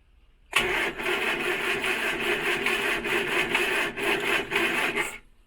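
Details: 1968 Morris Minor 1000, first start of 2023 after sitting, cold, with swapped battery: about four and a half seconds of uneven rhythmic cranking with thin starter whirr, nearly fires but never runs; cranks but no start.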